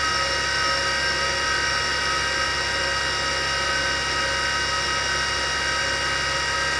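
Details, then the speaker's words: 1960s former military Carter rotary converter, test run unloaded at about 160 volts: steady high whine with a gritty hiss over the hum from worn shielded motor bearings whose grease has probably dried out; bearings and carbon brushes need replacement. "i'm not sure how well you can hear it but the bearings are noisy and that's the issue with this with this thing"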